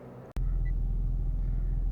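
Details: 2004 Infiniti G35 that cranked but would not start (codes P0430, P0335, P0345), now running after the faulty bank 1 camshaft sensor was replaced; the fuel pump was the first suspect: a short crank, then a smooth, low, even idle. Normal idle.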